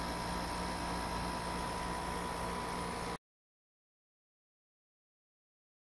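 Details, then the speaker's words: Haier portable AC in a bedroom, after replacing the bad run capacitor that caused buzzing and no cooling: about three seconds of steady even compressor hum, no buzzing or cycling; blowing cold air again, compressor running normally. "it took a couple of minutes for the new capacitor to charge but the ac is blowing cold air again you can hear the compressor running"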